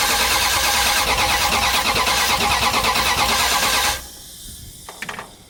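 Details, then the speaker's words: '78 Dodge Power Wagon with a 383 V8 from a '70 Cuda, sat over 10 years, first attempt with fuel poured down the choke: brisk, even cranking for about four seconds with no firing; a crank-no-start, and distributor, coil ground or ignition module are suspected. "okay could be a lot of reasons why it's not firing might have the distributor out could be a ground issue with the coil"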